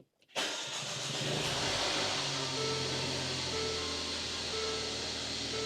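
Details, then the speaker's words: 2017 Mercedes-Benz GLA 250 (M270) first start after replacing the alternator with a remanufactured unit and a new serpentine belt: clean catch and steady even idle, no belt squeal, play or wobble. "Wow, that sounds really good. The belts are looking good. Let me show you. No issues with the belts, no play, no wobble, no squeaking."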